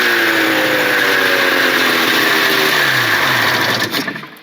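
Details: Cheap two-stroke snowmobile after new spark plug cable and new plugs: steady, busy buzz holding an even pace with no misses or stumbles: running normally.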